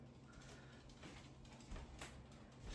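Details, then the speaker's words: Home-canned bone broth jars just removed from the pressure canner: a few sharp pops over a quiet room hum as cooling lids snap down and seal, normal. "You hear that popping? That is them sealing. That's what you want to hear."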